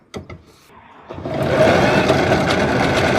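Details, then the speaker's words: Electric scooter with an occasional click while riding and a wheel that stays hot to the touch; after a few clicks the wheel spins into a steady, rough, gritty whir; suspected failed wheel bearing, confirmed on disassembly and replaced. "个声音听上去噪音有点大，怀疑里边这个轴承应该是坏掉了。"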